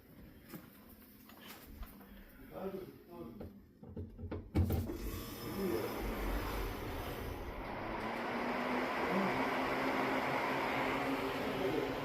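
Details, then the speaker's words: Refrigerator condenser fan test run after fitting a new motor to the old fan blade, wired up before reassembly: after early handling knocks, a steady even whoosh of air builds and holds with no rubbing or ticking, normal condenser fan run. "That's great. Thanks for coming out. It's gonna go in there. It's gonna go. That's my test run, so I know it works."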